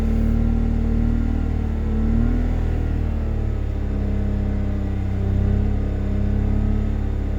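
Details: BMW Z3 2.2i M54 during an emissions check: deep, uneven rumble that stumbles as revs rise and fall, an unsteady beat indicating a misfire.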